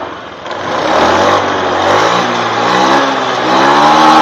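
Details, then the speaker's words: Honda Beat FI injected scooter revving after a manual ECU reset done with a wire. The engine note climbs cleanly and evenly with no hesitation, lag or delay, so throttle response is smooth and healthy. "oke teman-teman ya suaranya pun langsam enak terus Engak ngeleg enggak Del"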